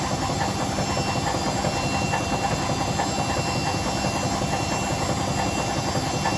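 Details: Hotpoint BHWMXL145 washer on a test spin. Heavy, uneven thumping about once a second over a loud rumbling spin, with the drum flopping about. Two drum spider arms are snapped and the drum is cracked at the back. It was originally reported as bearings.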